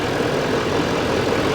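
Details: GMC Sierra 2500HD Denali, Duramax diesel, a flood Copart truck with slight corrosion but the motor judged fine: steady, even diesel idle with a smooth mid-pitched drone, no knocks or misses. Normal idle.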